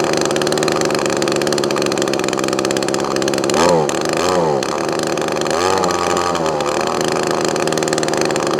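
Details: Echo ES2400 leaf blower two-stroke on a replacement HIPA copy carburetor (high-speed mixture screw only): high-speed buzz that stumbles and wavers through rev dips; carburetor mixture out of adjustment, needs tuning.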